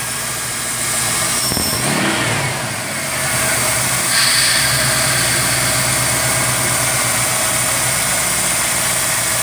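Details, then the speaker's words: Ford MPFI intake after sharp edges in the throttle body, IAC and intake were smoothed and a 1/8" hole was drilled in the throttle plate. Smooth, even idle with one quick rev blip, no whistle or hum: resonance fixed. "I don't care about the whistle noise that's not a big deal to me that's just normal"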